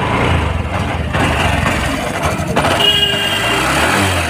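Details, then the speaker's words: Honda SP 125 BS6 after fuel pump washing and refit to cure starting and stalling problems; self-start catches and settles into a steady low idle without stumbling or stalling; normal start and idle. "चलिए finally हम start करते हैं bike को, देख सकते हैं की को ऑन करेंगे और सेल्फ लेंगे,"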